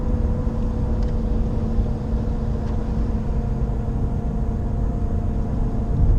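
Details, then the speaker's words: Nissan Qashqai J11 at 84,000 km, no A/C or heater on: coasting in neutral at 850–900 rpm from sixth gear, about 90 km/h. A steady, loud, low drone stays the same and rises with road speed; owner suspects a wheel bearing, unconfirmed. "Το βουητό αυτό ακούγεται ανεξάρτητα. Είναι όσο αυξάνεται η ταχύτητα, τόσο αυξάνεται και το βουητό."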